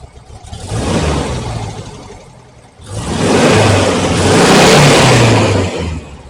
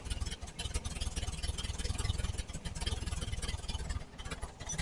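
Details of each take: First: 1968 VW Type 3 with original Bosch fuel injection, after vacuum leak fixed and throttle switch (TPS) readjusted, idling 850–860 rpm, fuel holding 20 psi: two clean throttle blips rising and falling without stumbling; very slight dead spot remains. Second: 1968 VW Type 3 Squareback with original Bosch fuel injection, starting at super low idle: uneven, lumpy idle at about four pulses a second, throttle doing nothing, occasional intake backfire; massive vacuum leak suspected.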